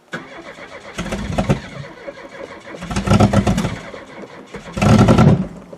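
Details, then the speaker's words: Old Buick with the Iron Duke engine, demolition derby car, cranked from dead cold with oil thick: three bursts of fast, uneven starter cranking with a few catches while the driver works the gas pedal, but it never fires; long crank, no start. "Come on. Come on. sounds like she wants to go. Maybe I can find a happy medium in this gas pedal."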